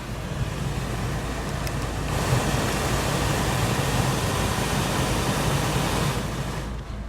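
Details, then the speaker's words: Normal blower fan: a 55-plate Citroen C3 cabin fan that was dead on high, tested with the engine on after replacing the fan resistor, gives a strong, even rush of air with no rattles or squeals and now works perfectly. "Fan is working perfectly."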